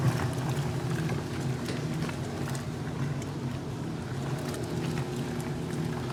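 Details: 1978 Maytag A408S (three bath towels) and 1989 Maytag A482 (two pairs of heavier pants) on Warm/Cold Regular Wash, 8-minute wash, small load level: steady low churning and even water swish with no knocks or grinding; towels turn over more freely than the pants; normal wash agitation.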